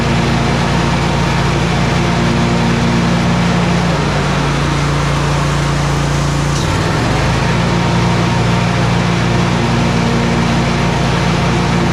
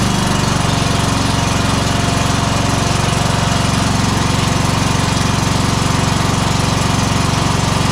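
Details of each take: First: Exmark 52" Pioneer S zero-turn (PNS720KC523), Kohler KT720 twin, after repair of rough running and bogging traced to faulty ignition coils: steady even drone with one brief dip, no popping or misses. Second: Exmark 52" Pioneer S zero-turn (PNS720KC523), Kohler KT720 7000-series engine, running rough, low power, popping, bogging under load: heavy steady thump about four times a second, firing on one cylinder; very weak spark points to a failing ignition coil.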